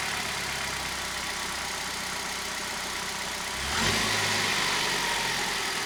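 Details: Hyundai i10 engine on its spark plugs, unchanged for 15 years and with one past check-engine light, before replacement: an even idle and a clean-rising blip with no misfire; running smoothly.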